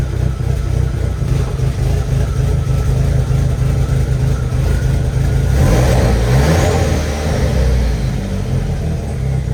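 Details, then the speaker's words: 1.8T first start after rebuild, with a cam position sensor code: uneven, lumpy idle that stumbles when revved and runs rough and misfiring. "okay so it's still a running really bad really rough and this camshaft"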